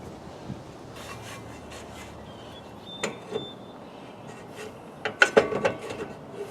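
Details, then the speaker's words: 1989 Jeep Wrangler YJ with new rear drum brakes: dry scraping rasps in bursts as the drum is turned by hand; the shoes are dragging because the adjuster was set too tight and needs backing off slightly. "once you get it to where the drums are actually just barely tight that's when you stop"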